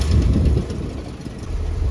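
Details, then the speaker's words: 1966 Ford Thunderbird, revived after years of neglect, backing out in gear: a deep, lumpy idle that sags and wavers. It idles high out of gear but too low in gear and may need more idle speed. "All right, let's back this old girl out. See if we can do it. I think we might need a little more idle."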